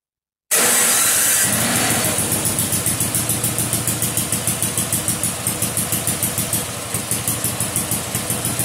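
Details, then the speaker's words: Vintage snowblower, first start after being bought as a gamble, choke partly backed off: starts instantly and settles into a regular, fairly even putter of about three beats a second; normal running. "I'll be damned um I can work with that all right that doesn't even sound too bad no kidding well that might be all right"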